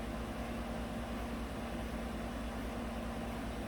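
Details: 2018 GMC 5.3 V8 truck at idle, already in closed loop; it had run rough and misfired on bank 1 with rich and O2 sensor codes, traced to a faulty front O2 sensor. Steady, even idle with a low smooth rumble and no misses, knocks or stumbles.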